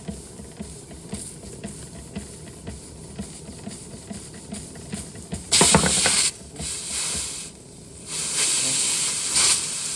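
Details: Restored Josef Falk 456/1S steam engine running well with its water pump mechanism working; the pressure gauge still reads nothing despite a clear pipe. Light, steady chuffing about three per second, then sharp hissy steam bursts, sounding like a steam engine should.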